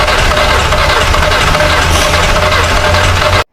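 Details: Volkswagen Vento, crank no start, oil found low and topped up, engine already knocking: engine turns over with steady churning drone but never catches, then cuts off.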